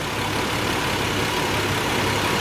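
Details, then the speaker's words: Nissan 300ZX idling after an attempt to fix a misfire: an even, steady idle with a faint shake underneath, and the earlier hiccup is gone. It runs smoothly, though the water temperature reads a little high. "sound like she running smooth, fellas."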